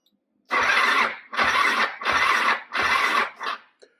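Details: Quadracer LTR450 ATV with a fuel system issue, run off a loose battery and fuel pump: four short cranking bursts under a second each with a high squealing edge, never catching. Cranks but no start; cause not confirmed.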